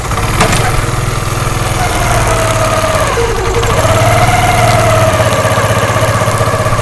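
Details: Motorcycle chain drive at idle after a free home fix of a tak-tak chain noise: even, steady idle beat with no knocking or slapping, the earlier noise now completely gone; normal chain drive.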